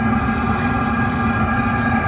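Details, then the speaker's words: Chinese all-in-one diesel heater, 12 V supply, in a van at full burn warming up: steady even hum with constant fan whine and soft roar, no rattles or surging; noisiest point, running normally. "you can hear it so this is its noisiest point and i'll be honest i ain't that noisy"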